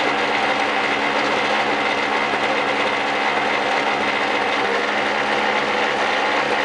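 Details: 1999 Snapper SX5200E single-stage snowblower, Tecumseh HSK850 2-cycle 5 hp 139cc engine, after cold start: steady, even high two-stroke buzz like a boat motor, slight normal smoke, no misses, knocks or surging; running clean and healthy.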